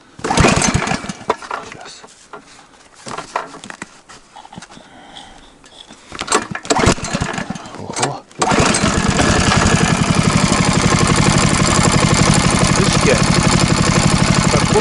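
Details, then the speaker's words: Snow-dog motorized towing unit (motosobaka) just started: steady single-cylinder beat with a light, regular tick about four a second; owner suspects valve clatter and plans valve adjustment and oil change. "будто там есть посторонний шум. Как будто клапана там щелкает. Надо регулировать клапана."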